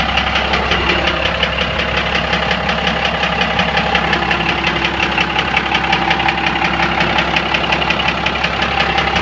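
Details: 1997 Dodge Cummins diesel idling with a steady metallic knock close to three a second from inside the engine, started last week; fuel in the oil, no metal shavings, lift pump seems good; owner suspects injector knock, unconfirmed.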